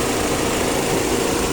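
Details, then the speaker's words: 2003 MG ZT (Rover 75) X-Power grade, Rover K-series 1.8 turbo petrol; radiator fans hard-wired to run constantly, steady roaring air rush drowning a low even idle; slight rumble also mentioned. "the fans are hard wired to keep them at the k series there you go one rover k series 1.8 purple"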